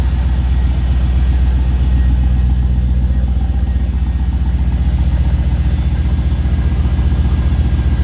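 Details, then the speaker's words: LS1 V8 from a 2004 Holden Caprice, 172,000 km, on a run stand with its 4L60E transmission attached. Throaty, even idle with injectors ticking lightly and the fuel pump area a bit noisy; no smoke, runs well. "Nice little throaty rumble. Like I said, 172,000 kilometres, no smoke. Runs really good."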